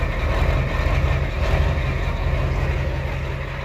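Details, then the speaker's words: Ford 7.3L IDI diesel after replacing valve cover gaskets and fuel return lines, recorded by the exhaust tip while bleeding the fuel lines; deep clatter with an uneven, slightly lumpy idle, running rough as air purges from the lines. "you can tell it's running a little rough so [Music] the air coming out of there there's a good amount of air in there that we just got out"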